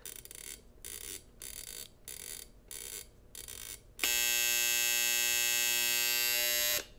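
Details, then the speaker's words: Copal 227 flip clock after replacing its neon lamp, alarm buzzer sounding: a plain 60 Hz mains tone with no sound generator, steady even buzz for about three seconds then a clean cutoff. Normal alarm buzzer. "so just so you can hear what the buzzer sounds like it's just 60 HZ tone basically cuz uh there's no sound generator in"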